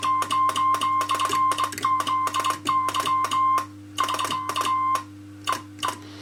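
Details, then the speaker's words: Home-built two-tube MOPA transmitter with an RCA 813 amplifier on 80 meters; the oscillator chirps at 120 W, so the Pi-network loading is reduced to about 80 W: crisp Morse keying of a steady tone with little chirp; cleaner keyed signal. "If I tune it for slightly less power, it sounds a bit better. It's about 80 watts. Just reduce the loading on the Pi network. That doesn't sound, that sounds a bit better."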